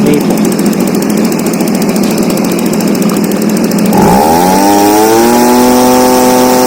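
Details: Stihl BG55 blower, a no-start with a torn carb diaphragm, now on a new replacement carburetor (part C1Q-S68G) being adjusted for power: the two-stroke screams at high revs, then the pitch dips and settles into a clean, steady tone, pulling properly.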